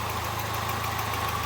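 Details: Citroën Nemo 1.4 HDi diesel idling with a rhythmic puffing chuff over the clatter, each pulse in time with firing: defective injector seals blowing compression back, with burnt gas smell.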